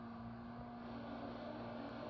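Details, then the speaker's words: Unit 1020 shovel being tracked out and run for the first time in years; a steady mechanical drone with a constant low hum is the dipper trip clutch's normal engagement noise. "That noise you just heard, that's the dipper trip clutch."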